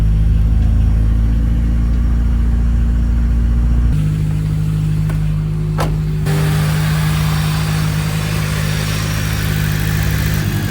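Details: Track car after oil filter and sandwich plate came loose and leaked oil, retightened: smooth steady engine note stepping up to higher speed partway, no knocks or ticks, oil pressure present, burning off spilled oil; running normally.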